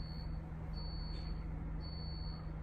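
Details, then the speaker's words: London bus, in the cab: steady high beep about once a second over low diesel hum; intermittent warning that reportedly turns itself off, cause unknown. "I don't know if there's a fault on this bus, but the driver before me I was his leader on my first half, and he says, "Can you hear it beeping?" He says it just turns itself off."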